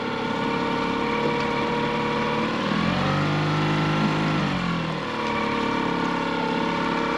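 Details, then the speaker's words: Outboard on a Hood 23 sailboat idling after switching from regular to premium fuel, following earlier outboard problems: even steady buzz, brief blip returning smoothly with no hunting or stalling; normal idle, running properly. "Fingers crossed, let's see how we go. How was that? How was that? It sounds pretty good."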